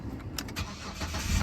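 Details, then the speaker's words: 2008 Jeep Liberty with no crank, no power, no module communication; after reinstalling TIPM fuse relays click and power returns: short crank rolls into steady low engine note; normal start, TIPM suspected bad. "and it starts so I'm gonna call that a bad tip"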